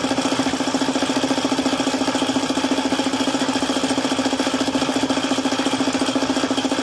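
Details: Suzuki F6A engine at idle with a failed oil pump: very even, sharp knock at roughly three per second, steady throughout. Bottom-end knock from oil starvation.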